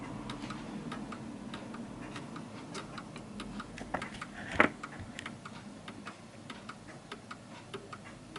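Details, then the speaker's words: 1940s Hermle (FHS) 8-day German Art Deco chiming clock deliberately tilted on a wedge: pendulum ticks unevenly at two to three a second, out of beat, struggling and then stopping. "as you can hear it's ticking more than talking and it will come to a [Music] stop and you can hear it's struggling and it comes to stop you can't hear the ticking anymore"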